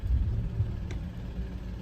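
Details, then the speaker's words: Audi A8 after engine swap, idling after start: lumpy uneven beat, misfire counts stored on cylinders 1 (4700) and 5 (7000), cylinder 5 climbing; owner suspects worn spark plugs, possibly ~140,000 miles old; unconfirmed. "for cylinder 1 which we have 4700 stored and cylinder 5 we have 7,000 so my guess is this car definitely needs spark plugs"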